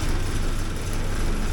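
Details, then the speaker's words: 1979 Porsche 924 just after timing belt fix, cold with the warm-up regulator not yet warm: low, steady idle rumble with an even beat, no knocks or misses; normal cold idle, expected to smooth as it warms. "yeah there is uh starts up properly it runs like you can hear how well it's running here now until this thing here warms up a bit once that warms up a bit then it'll"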